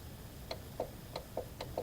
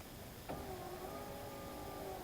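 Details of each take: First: 2012 Subaru Legacy window motor fed 12 V directly in both polarities: sharp, regular clicks about three to four per second while the window stays stuck; motor may work, and the cable spool is suspected tangled, so the whole assembly gets replaced. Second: 2011/2012 Subaru Legacy power window after replacing the cable-driven window motor/regulator assembly (window had been stuck up): smooth steady motor whir through the travel, no grinding or clunking; normal operation.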